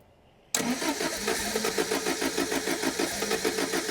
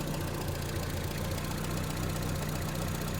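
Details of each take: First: 1975 MG Midget 1500 with a starting fault the owner suspects is in the ignition system, after a new coil and a different HT king lead: about eight seconds of steady starter cranking, roughly three turns a second, never catching; cranks but won't start. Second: 1975 MG Midget 1500 after its starting fault was fixed, with strong spark, running on an aftermarket kit coil pack. Steady, even tick-over at 650 to 700 rpm, lower than it has ever idled before, so this is a normal, healthy idle.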